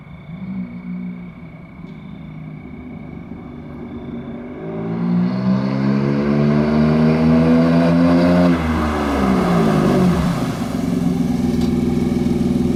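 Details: 1993 Dodge Stealth automatic transmission slipping and sticking in gear on take-off: engine revs climb steeply while road speed lags, pitch sags and climbs again; struggles to accelerate, spare transmission being rebuilt for a swap.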